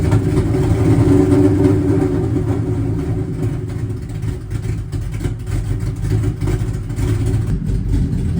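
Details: Cobra running for the first time in two years: deep, lumpy V8 idle with an uneven, hunting beat; rough idle, cause not known.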